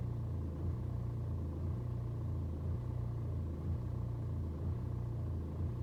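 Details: BMW 120d N47 diesel on a cold start: idle surges and sags about once a second without settling for over 2 minutes; fine on a warm restart, scanner shows no helpful codes, cause not yet known.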